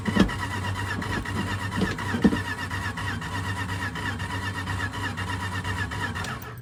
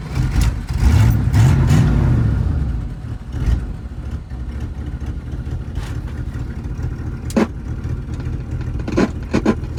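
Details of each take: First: 1983 Dodge D150 Prospector parked 25 years, cranking on gasoline squirt: starter spins engine steadily but it never fires; no spark because coil-to-distributor tower full of leaves and no coil wire fitted. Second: 1983 Dodge D150 Prospector V8, revived after about 25 years parked, warming up; starts with a rev then settles into an even, low idle with no knocks or misses. Normal running.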